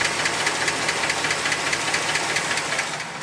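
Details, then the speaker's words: 2008 Chevy Express 6.0L V8 with 312,000 miles, before a motor flush and oil change: sharp, even ticking about twice a second over the idle, lifters going bad with low oil pressure; possibly a broken lifter. "you hear that tick that's the lifters going bad and you can see we don't have a lot of oil pressure"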